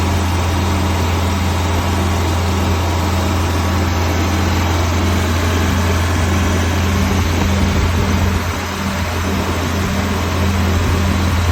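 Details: 1991 Prevost bus with Detroit 8V92 two-stroke diesel, running after sitting 10 years without starting: deep, steady drone at idle, even and unbroken with low constant hum; running normally.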